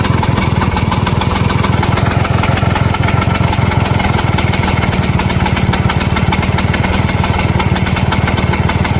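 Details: 1963 Vespa VBB two-stroke scooter, fast idle with steady metallic rattle throughout; also won't start after it warms up, rattle source unclear.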